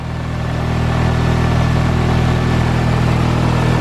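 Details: Nissan 240SX S14 Zenki just after start, warming up, with rough vibration felt from a solid transmission mount; deep steady idle with even pulse and no knocks, ticks or misses; normal idle.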